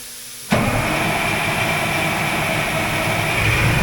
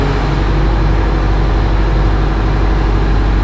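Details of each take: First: Oshkosh M1070 HET 8x8 diesel: long, steady cranking drone that never catches or rises into idle, even with ether sprayed in. A crank-no-start. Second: Oshkosh M1070 HET 8x8 diesel after the fix restoring D-deck power (a solenoid had been cutting off the fuel): deep, steady rumble with an even beat and no knocks or misses; a healthy idle with good oil pressure and no leaks.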